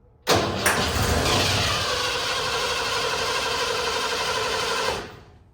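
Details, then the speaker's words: 1988 Ford F150 XLT 2WD, after a new fuel regulator: steady starter cranking about four seconds with an even churn, never fires; cranks but won't start, owner believes fuel filter blocked, gas not getting through. Cause suspected, not confirmed. "I believe this is the fuel filter. Every time I've tried to start it, the gas is only getting to right here and it's not making it through."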